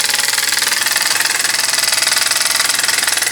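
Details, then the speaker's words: Homemade oscillating steam engine on a 3/4 pine base, on compressed air at 10 lb: fast even chuffing with steady rhythm, no knocks or misses; running freely and healthy. "that's a 10 lb and she's really booking"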